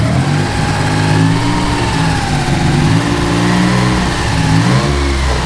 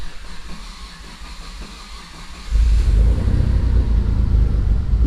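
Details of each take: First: 3000GT VR4 / Dodge Stealth after two-step flame-tune testing with fuel, restarted: deep, steady engine settling from a few blips into an even idle with no knocks or rattles, sounds fine; left idling about 5 minutes to circulate and cool oil. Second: Mitsubishi 3000GT VR4 cold start, no throttle input: about two and a half seconds of steady cranking, roughly four turns a second, before catching to a deep rumble; slow to fire, owner suspects fuel needing to prime.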